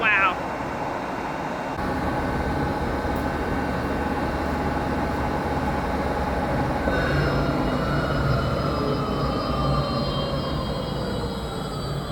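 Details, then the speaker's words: New large lathe at high range, about 300 rpm with a big chuck, VFD-controlled: deep steady drone with clean gear-whine tones, no knocking or grinding; spindle running fine. "Và khi trục chính khởi động, nó phát ra một âm thanh hoàn toàn khác mà tôi chưa từng nghe thấy trước đây."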